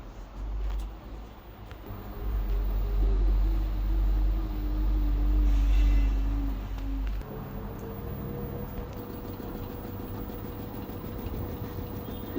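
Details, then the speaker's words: LG 9 kg wash / 5 kg dry washer-dryer combo that washes but won't dry, during spin: heavy, rhythmic low thumping about two to three per second as the drum spins up; unbalanced load shaking the machine vigorously. "The machine is unbalanced, that's why it's shaking vigorously. The machine should be well balanced."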